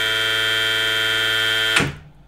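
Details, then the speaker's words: Outrunner motor on VESC firmware 6.00 beta 40 with silent HFI sensorless control, clean steady high-pitched whine at full speed, then cutting off sharply under full 80 A braking down to zero while tracking position; motor and controller running properly. "and perfect again so that is really impressive because we are going at full speed and then doing full break get the full current at the 80 amps tracking the position perfectly all the time"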